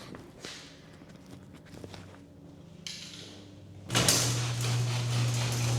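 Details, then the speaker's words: Garage door with electric opener running after lubrication of all metal contact points, mic strapped on emergency release cord: soft clicks, light rolling and steady low motor hum, no squeal or binding; significantly quieter than before maintenance, normal operation. "Okay. Well, I'm going to be honest. That was significantly quieter than before we did the maintenance."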